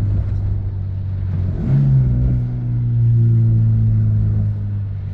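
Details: Honda S2000 after oil-soaked spark plug wells fixed with new gaskets, cured high-rpm misfire: engine climbs smoothly through the revs, clean even note, no stumble or cutting out, pulling healthy at the top end; normal revving.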